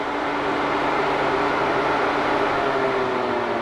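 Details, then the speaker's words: 2009–2018 Ram 1500 5.7 Hemi, new backup/AC condenser e-fan run on direct power through jumper leads: strong, steady whooshing whir with an even hum, no rubbing or ticking; the fan is good. "it's as simple as that so that tells me that my fans are good"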